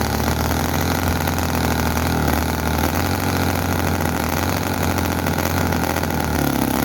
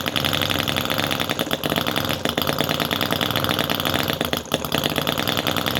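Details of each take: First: Chinese commercial model V-twin engine, possibly the Cison FG-VT9 9cc or Microcosm R28 4.3cc, freshly oiled. Loud, ragged, racing far too fast rather than a slow idle, with explosions and oil coming out; fuel tank thought inadequate. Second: Cison FG-VT9 9cc petrol model V-twin with carb float: fast, busy chatter holding a steady beat with no misfires. Running evenly after a difficult start, float now working, until fuel runs out; normal running.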